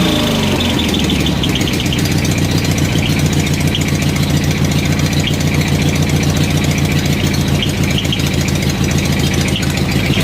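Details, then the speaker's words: Craftsman riding mower with dual exhaust and homemade welded silencer baffles, first start after the mod: loud, choppy idle with faint puffing ticks from slight exhaust leaks. "so I got some slight exhaust leaks I can hear I'll have to figure those out as I go"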